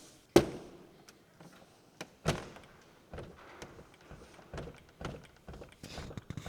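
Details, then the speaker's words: Lotus Carlton door on the other side sits slightly low: heavy thunk with a hard knock as the door hits the striker plate, which pulls it up into line with the body. "That knocking noise is the door hitting the striker plate, which means you have to slam it a bit more to close it."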